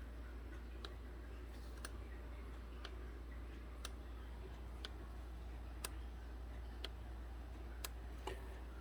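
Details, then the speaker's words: 2014 Hyundai Accent with code P0441, engine off: purge solenoid commanded on and off by scan tool, giving crisp ticks about once a second; it is rubber-mounted on the engine and clicks normally. "i'm going to command this solenoid on and off with a scan tool and see if we can hear it feel it click it's mounted on the engine in a rubber mount because it usually is duty-cycled and that would tend to make a ticking sound that would be transmitted into the body"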